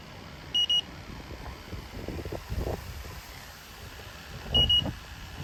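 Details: Temperzone split ducted air conditioner not cooling: leak detector gives sharp high double beeps about four seconds apart over faint handling noise, picking up a refrigerant leak; Schrader valves later also found leaking.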